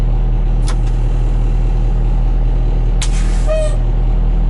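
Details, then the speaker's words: 1986 Ford dump truck, V8 diesel, first start after sitting: started easily, deep even healthy idle with short air hisses as brake air pressure builds; runs good. "all right let's see if this girl well that started too easy at all wow she runs good though"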